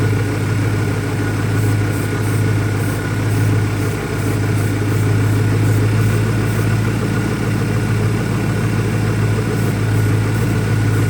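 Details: 2001 Ford Mustang Cobra, warm idle holding a steady low drone but the beat wavers unevenly; new Bosch plugs fitted, owner vacuum-testing for leaks, rough idle cause not pinned down.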